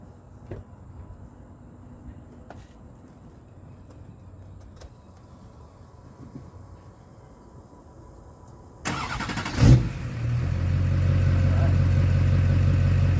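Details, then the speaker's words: 2003 Duramax 6.6L diesel started right after the FASS fuel and water filters were replaced, with no priming. It cranks briefly, catches at once and settles into a steady, even low idle. "Right up, so that's how you change your FASS fuel filters."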